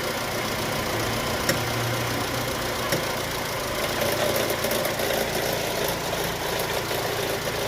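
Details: Chevrolet Cruze/Sonic engine at idle: a steady idle with a faint, irregular tick riding over the engine hum, source unclear. Abnormal engine noise at idle.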